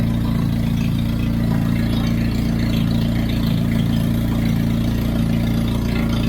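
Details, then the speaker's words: Hyundai Genesis with turbo installed, wastegate missing, warming up with fresh thermal coating burning off: deep steady idle rumble with rapid even pulse and droning tone; idle sound from missing wastegate. "because I don't have that wastegate on it, that's why it sounds like that."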